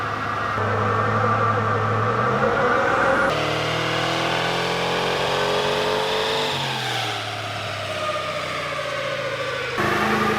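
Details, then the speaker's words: VEE080, a boosted LS drag car, climbs in revs under load but stumbles and breaks up unevenly instead of pulling clean. This is an engine misfire. The owner suspects the spark plugs and will try new ones, and a MAP sensor issue is also possible. The cause isn't confirmed. "um anyway next problem bit of a misfire as you probably could hear from the footage we've got a miss we're going to put that down to plugs we'll try new plugs"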